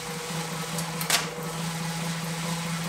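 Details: Wahoo KICKR SNAP bike trainer held at about 20 mph with a reasonably clean drivetrain: even, steady hum with a constant low tone, no grinding or knocking; normal running.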